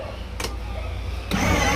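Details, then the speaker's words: Kids' electric ride-on scooter (12 V battery) started by bridging the outer wires of its faulty starter switch with tweezers: a click, then a light, even motor and gear hum with no knocking or grinding; the drive runs normally. "Scooter हमारा start हो गया अब हम देखेंगे इसको चला के ये आगे चल रहा है चल रहा"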